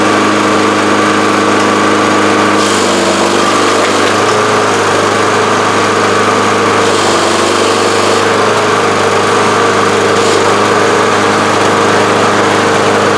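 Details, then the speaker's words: Free roadside Lawn Boy push mower, will-it-run test after cleaning and reassembly: small single-cylinder engine holds an even, steady buzz with no misses or surging; it runs normally. "so the answer to the question will it run yes"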